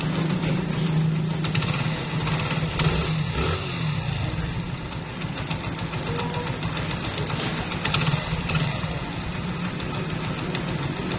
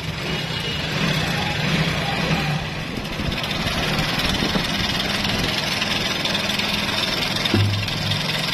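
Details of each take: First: Old, high-mileage Honda Pridor single-cylinder engine after timing chain replacement: steady idle with light, even tappet tapping and no chain rattle; the timing chain noise is completely gone. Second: Honda Pridor motorcycle whose engine sound had changed noticeably: a busy, clattery metallic rattle over the idle. The timing chain was found very loose and is being replaced. Timing chain rattle.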